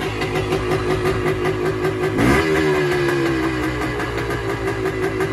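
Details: 1978 Yamaha DT250 two-stroke, first start in about 6 weeks on a cold day: idles fast and a bit uneven with a rev blip, idle high even with choke off, never did this before; oil light now on, cause not yet found.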